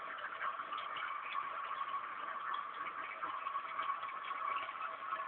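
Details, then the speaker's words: Cat water fountain pump running normally: soft even whirring hum with gentle water trickle, no rattle or surging. "et à gauche donc cette tribune que vous entendez c'est la pompe à eau"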